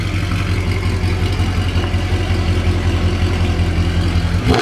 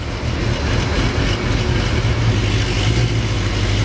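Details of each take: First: Mercedes C63 AMG that was misfiring on every cylinder and in limp mode, after all four O2 sensors were replaced and codes reset: deep, even V8 idle with a steady low rumble and no stumble or miss; it runs smoothly. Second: Modified Mercedes C63 AMG V8 in limp mode, every cylinder misfiring and smelling rich: choppy, uneven low rumble with stumbling idle; O2 sensors suspected and about to be replaced, cause unconfirmed.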